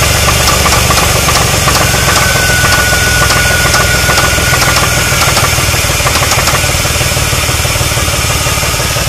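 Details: 2001 Chrysler 300M 3.5L V6 idling with a deep, steady knock about three times a second: rod knock from a warped connecting rod and worn rod bearings, later fixed.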